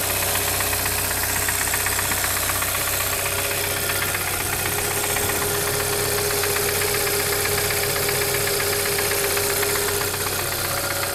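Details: Brand-new 2013 Hyundai Santa Fe at steady idle: a sharp, regular knock two to three times a second over the engine; owner suspects a wrist pin/piston defect, unconfirmed.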